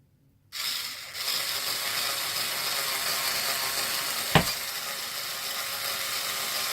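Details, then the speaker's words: Losi 5T RC truck: a harsh, rattly, high-pitched whir holds steady while the driveline spins, rough and gritty; owner says the internal gears are getting stripped. "yeah the gears are getting stripped out in this thing so yes it sounds like garbage I know I know it doesn't sound good years are getting pretty bad in it so what can you do you know"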